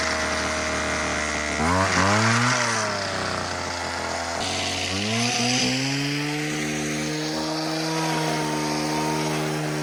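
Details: Homelite HT17 two-stroke hedge trimmer after replacing missing fuel lines and adjusting the carb: snaps up to a high screaming rev, drops back, then holds a steady clean pitch; runs good, only the blades need sharpening.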